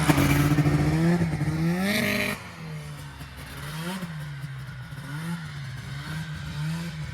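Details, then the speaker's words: Snowmobile ripped around the yard in the first measurable snowfall: sharp rev climb, then a lighter note rising and falling with throttle, crisp and even with no misses; normal running under load. "got to get one out and rip it in the yard a little bit so sounds all right yeah sounds good man"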